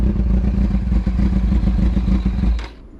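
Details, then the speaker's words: Kawasaki Ninja ZX6R carbureted motorcycle, cold on choke after rebuild: deep uneven burble with a ragged, stumbling beat, then it cuts out; rough cold running that must be held until warm, unlike fuel injection. "It's not like fuel injection where you just turn it on and away it goes. That's fuel injection for you, but this one you kind of got to hold it and let it warm up."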